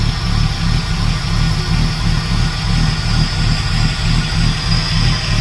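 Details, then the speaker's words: Ford AU SOHC Intech turbo, first start after rebuild: deep, steady idle with fairly even low rumble, no tapping, knocking or misses; idle slightly high (should be nearer 500), likely from missing intercooler piping; normal idle. "should be sitting down a bit closer towards 500 but that's probably because I haven't got all my indic cooler piping on there either"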